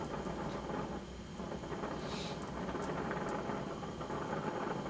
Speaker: I've gone ahead and put a little bit larger tip on since this aluminum is a little bit thicker and seems to absorb a lot of heat but once again adjust for a neutral Flame